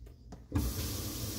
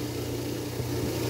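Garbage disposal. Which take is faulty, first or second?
second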